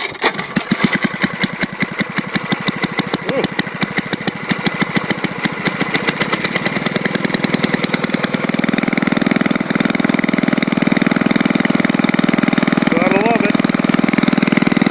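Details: Old friction-drive snowblower single-cylinder engine started without primer hooked up: pops into life, quickens, then holds steady even beat with no misses; engine running healthy.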